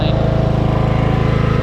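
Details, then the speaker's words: Craftsman LT1000 riding mower after an engine swap (old engine locked up from low oil): strong, steady, fast single-cylinder thump; a slight misfire was noted, expected to clear once warm; running normally. "all right she's running uh she's running pretty good um slight misfire but you know i think once uh when she's running for a little bit she'll be just fine"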